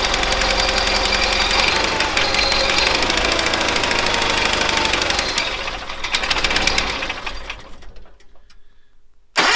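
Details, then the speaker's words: 1970s Bolens QT16 garden tractor, long-sitting, gravity-fed fuel line, running about half choked: engine catches and fires unevenly with ragged sputtering, falters and nearly dies; hard starting and rough running, carburetor needs cleaning. "it's about half choked so that carb needs cleaned out it's not running so great obviously"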